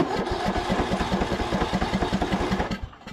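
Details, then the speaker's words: Craftsman YT3000 riding mower abandoned about 4–5 years, after draining gasoline from cylinder and cleaning spark plug, cranked before adding fuel; starter spins the single freely with even rhythmic chuffing about three seconds, no binding; turns over normally. "it turns over just fine now so we'll put a little bit of fuel see if that's enough just to get it to bust off"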